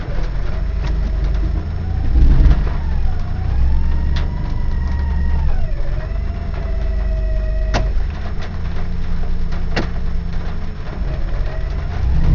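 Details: 1995 Ford Explorer 4WD, transmission rebuilt two years ago, recently wouldn't shift into 3rd unless off the gas. Loud wandering whine at idle in reverse or drive that stops at 5–8 mph. Seems from the main transmission, torque converter not ruled out. No check-engine light.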